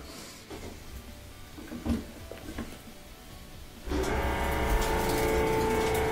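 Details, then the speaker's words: About 20-year-old Whirlpool dryer motor that only buzzed and wouldn't spin, tested with door switch bypassed: strained buzzy hum and steady whine, spinning but sounding labored. "now I can hear it it's definitely working sounds a little bit labored but it's spinning so that did help"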